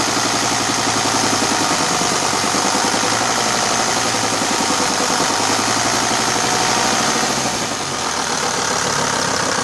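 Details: Mercedes-Benz 410 D Sprinter, OM602 diesel, at idle: a dull, fairly regular low knock, about three to four a second, under the clatter. It changes slightly with the clutch pedal or with injector lines released. Crankshaft play in worn main bearings.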